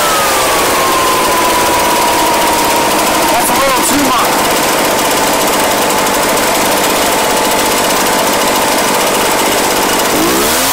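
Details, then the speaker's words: Echo PB-755ST backpack blower, bought new two years earlier, after fresh fuel and carburetor adjustment (it had been bogging and dying under throttle/load); loud, high, steady full-throttle scream holding speed without bogging or dropping out, running normally. "so we adjusted the fresh fuel adjusted the carburetor we're good to go now you guys heard this thing we've started screaming right there's nothing wrong with this screaming right"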